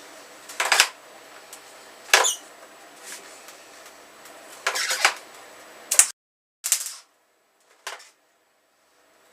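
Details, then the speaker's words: MIG welder on a GS motorcycle frame modification: short, uneven sputtering hiss bursts instead of a steady frying-bacon crackle, with the wire-feed motor audibly speeding up and slowing down; erratic arc. "supposed to sound like frying bacon, but it doesn't. Can you hear the motor on that thing going fast and then slow? Dreadful."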